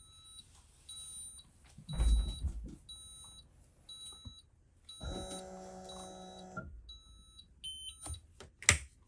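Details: 2024 Newmar Bay Star 3014 auto-leveling: short high beeps about once a second over brief hydraulic pump hum, normal warning while jacks lower, stopping once coach is level.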